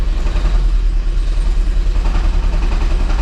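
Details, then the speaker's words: Toyota Prius engine "death rattle": a heavy, uneven rattle from low down, pulsing about three times a second, as if the bottom of the petrol engine is coming apart; accompanied by a hybrid system warning light. "And, that is the "Death Rattle" which I'm sure you have all heard of that if you own a Prius, and if not it's basically rattling that sounds like the bottom of the engine is coming apart."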